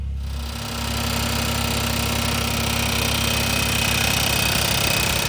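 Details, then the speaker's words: Old Ford diesel tractor at idle after radiator reinstall, with the muffler just set on: sharp, regular ticking about three and a half times a second as a fan blade nicks the bottom of the shroud each turn; fan blade hitting shroud. "so the muffler definitely quied it down some but that fan blade is still nicking that shroud just as it goes across the bottom of course it's making heck of a racket"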